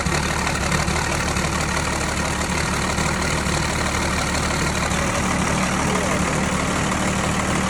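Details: Tucker Sno-Cat with a 5.9 Cummins 12-valve diesel, which previously cranked but would not start (suspected plugged fuel pickup screen), now running at idle after repair: steady, even diesel clatter with a constant low rumble and no misses or knocks.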